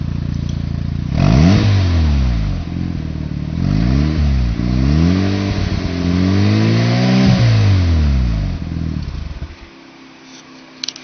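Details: Freshly rebuilt engine with Apexi intake, Bonez cat, HKS downpipe and Dragger exhaust: catches quickly, then revs climb and fall cleanly several times with even firing before shutting off; strong, healthy running.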